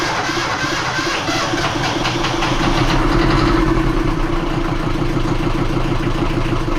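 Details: Self-built 31.8ft junk schooner sailboat's inboard diesel started after checks (sail drive seals recently redone, oil full and clear; water strainer clean; coolant level good): catches promptly and settles to a steady, even idle clatter without misfires. Normal start.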